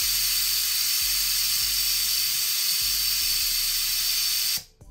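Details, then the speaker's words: Autoclave sterilizing tattoo grips mid-cycle: a constant high hiss holding level, then cutting off. This is normal venting at steady temperature and pressure. If the gauge goes too high, pull the safety valve, cut the power and let it cool to zero. "If it goes too high, pull the safety valve, pull the electricity, and let it go down to zero, let it cool down. But this is completely normal, what's happening right here."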